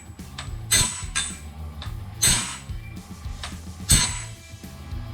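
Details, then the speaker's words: Norwood BladeMate Pro sawmill blade sharpener nearing the blade weld: sharp grinding bursts about every 1.5 s over gear clatter as the wheel hits teeth off-spot due to incorrect tooth spacing at the weld, wrecking two teeth. "there I just really wrecked another two because I had abused that tooth by not watching what I was doing"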